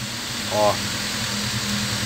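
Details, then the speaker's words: Chevrolet Vectra petrol engine at idle after lifter replacement, which reduced but did not cure its knock: coarse, steady low roar from a rotted, blown rear muffler. "esse barulho que está nesse ronco aí que tá o ronco do surdina estourada porque realmente a surdina tá estourada"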